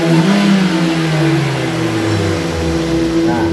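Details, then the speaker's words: Toyota Avanza brought in weak and using too much fuel, after repair: throttle blips pick up cleanly and the pitch drops back smoothly with no hesitation or misfire; power and pull noticeably better than on arrival; normal revving. "Oke Lur ini tenaganya sudah beda banur tarikannya juga rasanya dari gas-gasannya saja sudah beda Lur"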